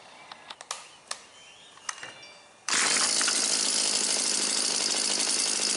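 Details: Husqvarna 325P4 pole saw, two-stroke, after repairing the ignition fault behind its severe miss and intermittent no-start (taped and sleeved): snaps to life after a few pulls, steady even high-pitched buzz, no misfires or stumbles.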